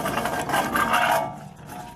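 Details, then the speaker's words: 2008 Chevy Suburban 2WD 5.3 L V8, front hub turned by hand with caliber removed: rough rasping grind with wobble, fading as it slows, hub visibly loose and clicking, giving an ABS signal; worn front wheel bearing, hub being replaced. "listen just listen to the noise it makes and uh my glove is caught in there and uh you can actually hear the wobbling and if you're looking near you can see it moving very bad wheel bearing"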